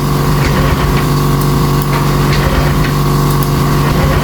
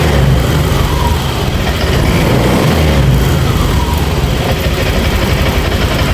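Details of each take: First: Honda Vario 150 scooter that came in electrically dead; weak battery and blown 25A fuse already fixed. Steady starter whir, even cranking, never fires. MIL shows code 12 and the fuel pump doesn't hum, traced to a broken injector wire. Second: Honda Vario 150 scooter after replacing a rat-chewed injector connector: the fuel pump hums and the engine fires and settles to a smooth, steady idle. MIL code 12 cleared.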